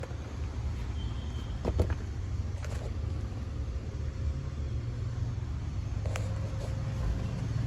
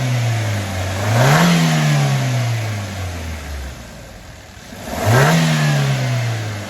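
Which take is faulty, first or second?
first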